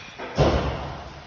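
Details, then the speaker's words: Front of car over bumps, metallic clunk from loose-fitting aftermarket brake pads shifting in the caliper; one dull metallic thud per bump. "Sometimes when you hit bump, you can hear it nice in the front of the car. Sometimes the pads is really loose."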